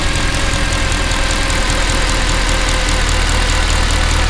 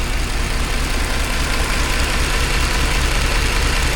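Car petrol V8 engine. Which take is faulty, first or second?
second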